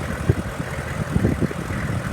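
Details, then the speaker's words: 2002 Hummer H1, 6.5 liter diesel, 33,000 miles, idling for almost 2 hours: steady low diesel idle, even and unhurried, with no knocks or misses; runs very smooth, normal idle. "truck has been running for almost 2 hours now. It runs really nice, very smooth. It's been sitting on idle"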